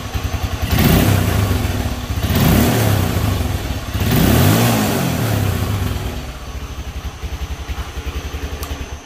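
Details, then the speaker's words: IGM Street 160cc motorcycle after fixing loose engine mount bolts: three clean throttle blips with no rattle or knocking, engine sounding healthy. "quiero que escuchen ustedes mismo Así es como debe estar sonando un motor y ahora voy a acelerar y escuche el que ya no suena absolutamente nada"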